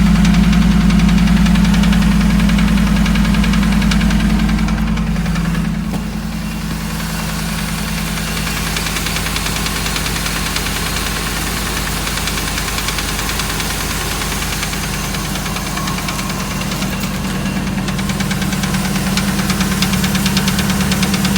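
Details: 2008 Dodge Ram 1500 5.7 Hemi V8 idling with a steady, regular knock at about three to four a second under the low rumble. Cause unknown after five mechanics; they say it needs a new engine.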